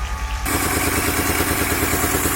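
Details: 2003 Honda Accord V6, first start after engine swap (previous engine had rod knock), borescope showed oil in cylinders; uneven, shaky idle with skipping exhaust pulses, missing on some cylinders; misfire.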